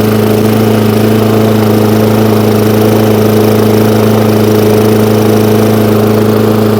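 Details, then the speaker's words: Hayter Ranger 53 mower after bending the throttle clip forward: strong, steady high-revving drone at even pitch, no surging or hunting; now running cleanly at full revs after a small linkage adjustment. "so as you can see a little tiny adjustment on this little um throttle here now pushes those revs up to where they should be"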